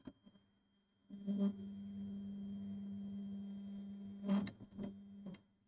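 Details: TEVO Tarantula Pro 3D printer with A4988 stepper drivers during auto-home: loud steady buzzing whine for several seconds as the axes home, then clunks at the stops; the lead screw is very wobbly.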